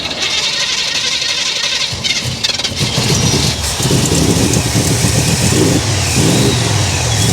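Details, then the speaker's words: Carbureted hot rod that had been sitting, started at a car show: ragged, lumpy running with stumbles, surges and uneven firing; carburetor float stuck, later freed by revving and driving it. "Okay, the float is stuck here. This isn't ideal."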